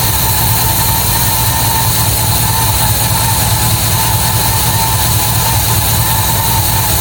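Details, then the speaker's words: MGB GT V8 at first start in neutral, idling at about 400–500 rpm with 40 psi oil pressure: deep, uneven, hunting, lumpy idle. No air filter is fitted and the carbs are not balanced yet; the cause is suspected, not confirmed. "thing, so still running very lumpy."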